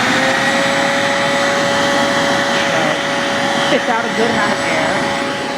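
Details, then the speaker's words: Roadside-found, nearly new shop vac, probably a brushed motor, switched to medium speed, which is louder: a steady, even motor whine with constant rushing airflow and no surging, rattling or scraping; it runs healthy. "so switch it over to medium speed and demonstrate that it is a little bit louder than it is louder"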